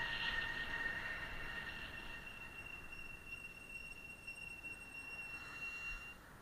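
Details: HillMiles MileCity 1 e-bike coasting downhill without pedaling: steady high-pitched squeal over the rolling noise while braking, fading as braking eases; the brakes squeak.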